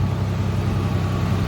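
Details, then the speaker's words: 1986 Nissan 300ZX, 10 minutes after starting and warm with temperature mid-gauge, after new ignition parts: low, even idle hum with no misses, ticks or knocks. Smooth; owner suspects rings will seat. "No issues really. It's still running fine. Seems to be continuing to run nice and smooth."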